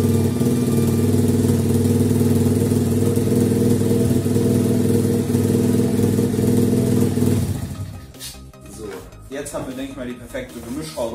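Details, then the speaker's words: 50cc two-stroke pitbike after carburetor cleaning, mixture screw turned 90 degrees further, so idle is a bit higher while the mixture screw is fine-tuned. Steady, even single-cylinder idle at about four pulses a second; normal idle. "Habe ich jetzt gemacht. Das Standgas ist nochmal ein Stück höher."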